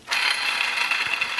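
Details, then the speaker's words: 2012 Audi A4 B8 electric steering rack, removed and disassembled, main power bearing turned by hand: gritty, scratchy rasp with a thin ringing edge. Water entered the right side, causing the bearing damage, rack noise and a red steering-wheel warning, though assist still worked. "Рейка разобрана, состояние деталей очень хорошее, вода попадала только с правой стороны, соответственно, повредился больше всего именно силовой подшипник."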